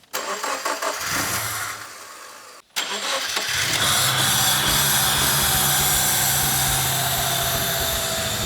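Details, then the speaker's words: Subaru with a freshly rebuilt STI EJ20 short block, first successful start after several failed tries: cranking, a brief stop, then it fires and settles into an even idle with a steady beat and no knocks. Oil pressure light goes out; sounds good. "That sounds good. There's the oil pressure light's out. That's a good thing."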